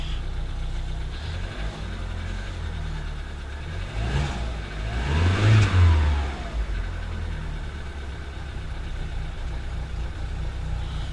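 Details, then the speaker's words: Audi A2 1.6 FSI, still cold after fuel pressure regulator replaced and codes cleared: idle won't settle, revs swelling and sagging every couple of seconds; still hunting badly, cause unknown. "still hunting badly that's not a good sign"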